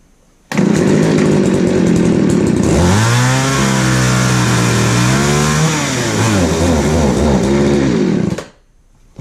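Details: Craftsman 3.7/Poulan 3700 chainsaw after fitting a new eBay carburetor and fuel line: idles high, then stumbles and wavers when throttled instead of climbing; bogging, with L, H and idle screws needing adjustment.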